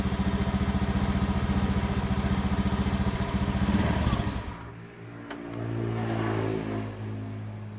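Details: Honda Beat FI scooter with new battery, before plug change: steady fast idle putter for four seconds, then sags and fades out; it runs only at idle and won't take throttle; a new spark plug is fitted next: misfire, spark plug suspected.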